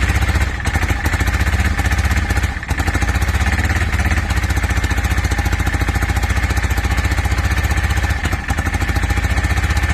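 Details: 2002 Yamaha V-Star 650 twin, newly bought, possibly needing a full tune-up, on choke, rusty gas tank; fast steady cranking, roughly four pulses per second, barely catching, not settling. Hard starting, owner suspects flooding.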